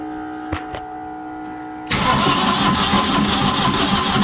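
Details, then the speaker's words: Old diesel light tower/generator that sat for years: a quiet spell, then steady cranking churn with no firing; crank no-start, fuel apparently not reaching the injectors from the pump, return line working. "let me try to get this out of the pump because we're not even making it to the injectors i don't think"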